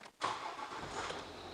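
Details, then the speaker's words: 2013 Ford Territory 2.7 L V6 turbo diesel starting after a fuel filter change, priming and glow plug cycle; brief crank, catches at once and settles to an even run with no misses, clean healthy start. "Oh, beautiful, mate. So I'll recheck for leaks and make sure that they're okay, but that started perfectly, didn't it? All that priming paid off, didn't it?"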